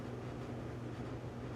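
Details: LG dryer on a preventive maintenance check, manual dry, heating element reaching 200 degrees: steady whoosh of air with a low motor hum, no knocks, scrapes or squeals; running normally.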